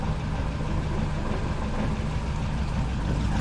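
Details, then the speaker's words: Saab Sonett idling after a leaking exhaust joint near the starter was tightened: a steady low rumble with an even beat and no chuffing or ticking. The exhaust leak sounds solved, at least for now. "well it sounds to me like the exhaust leak has been solved at least for now"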